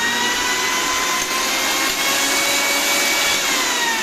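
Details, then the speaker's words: Old-model Panasonic 1000 W mixer grinder that had stopped working, now with the overload breaker and two buttons bypassed and wired direct: steady, even high-pitched motor whine at constant speed with no grinding; normal running. "അപ്പൊ ഈ ഒരു mixie സാധാരണ mixie പോലെ switch on ചെയ്യുമ്പോൾ തന്നെ direct ആയിട്ട് work ചെയ്യുന്നുണ്ട് കേട്ടോ."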